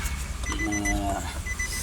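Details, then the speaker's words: Towed-in Nissan X-Trail hybrid, hybrid battery side removed: short high beeps repeat steadily with no cranking as it is started with the brake pressed; won't start, and the gear lever button won't press either. Cause not yet found. "Break එක පාගලා start කරා start වෙන්නේ නැහැ ඔන්න ඔය විදිහට"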